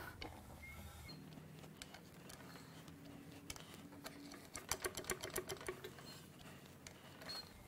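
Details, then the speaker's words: Acura Integra LS 1.8 L B18B1 DOHC four-cylinder that locked up while running, turned slowly by hand before teardown: irregular dry clicks and scraping knocks; bottom-end damage from oil starvation. "It turns over. What? Oh, it doesn't sound good, though. It sounds really..."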